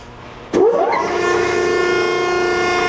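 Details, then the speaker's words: 1953 Landis 30" x 36" universal cylindrical grinder, model CH, starting up: a clunk at switch-on, then an even hum, mostly the hydraulic unit plus the grinding wheel; no knocks or grinding, running normally. "that's the grinding wheel running and the hydraulic unit most of the noise you hear is the hydraulic unit over here"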